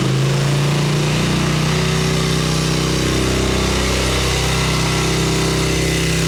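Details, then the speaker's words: 1989 Harley Ultra Classic Tour Glide Evo, butterfly carb, warming up and tried without choke; loping uneven V-twin idle with irregular stumbling beat, won't settle off choke; owner thinks idle may need turning up, cause unconfirmed. "Really just trying to warm this thing up a little bit and see if it'll run without choke. God, that sounds super healthy minus the, you know, rubbing out and dying."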